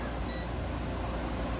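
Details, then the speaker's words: Coleman dual-compressor RV air conditioner newly installed in an Alpha, test run after install. Even low hum and steady airflow, no rattles; it runs normally with compressors at 8.50 and 8.52 A in spec and a 21-degree differential. "So right there, I mean, those two compressors are in spec. Fans are doing good. 21 degree differential on that. So this unit going in this Alpha is ready to go."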